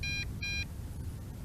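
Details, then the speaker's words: MJX Bugs 3 Pro GPS drone transmitter gives two short high beeps, about a fifth of a second each: the first-phase low-voltage return-to-home warning, with the battery at two bars after distance flying. "still hear that beep oh no you know what that beep is that beep is the first phase of low voltage"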